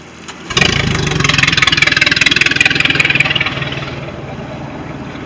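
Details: Sea Ray boat with a MerCruiser 3.0 L engine, final running test after no-start issues: catches straight away, revs briefly, then settles into an even, steady idle with no misses or knocks, a normal start and idle.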